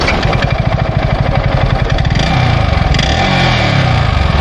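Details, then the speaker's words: Motorcycle idling with an uneven, lumpy beat and rough low thrash after trouble on a ride; rider suspects a piston problem, unconfirmed; abnormal engine noise. "इसके engine में कुछ दिक्कत आ गई है बताया नहीं क्या दिक्कत है क्या नीक बट बहुत आवाज कर रही है कि हो बापू आवाज आ रही है इसके इंजन की थी"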